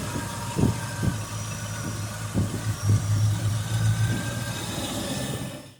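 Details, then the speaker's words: 1993 Land Rover Range Rover Classic under restoration, reassembled, first start attempt: catches and settles into a steady idle with a few quick throttle blips and no knocks or rattles; normal start and idle. "so i put it together off film and we're ready to fire it up"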